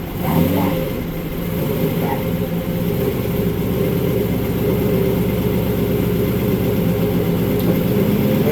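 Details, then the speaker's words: Trans Am TH400: engine idles and revs smoothly in gear, with no grinding or whine. The earlier awful in-gear noise is gone, and it power brakes easily. "used to make this god-awful noise when you put it in gear. It ain't making that noise now."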